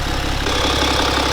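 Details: BMW N57 diesel first start after timing chain and main bearing replacement, running a few minutes, everything feels fine: steady diesel idle clatter, even rhythm, no knocks or rattles; normal healthy idle.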